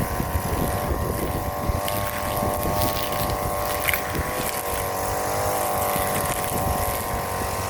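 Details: Brand-new Hyper Tough 2-cycle 18-inch straight shaft gas string trimmer (26cc per description, 22cc spoken), first use outdoors: steady high two-stroke buzz holding speed, some wind noise; runs strong and even.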